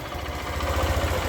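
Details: Small motorcycle after repair of compression loss and crackling/popping noise when pulling away: now pulls away smoothly with an even low thump, no crackle or popping.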